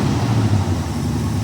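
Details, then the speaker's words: '65 AMC Ambassador engine running off a fuel tank after a new alternator install (alternator still not charging; regulator suspected). Revs up well with a deep, loud, raw roar and no damping at all: no muffler fitted. "I love it. Needs a muffler, but it does sound pretty cool though."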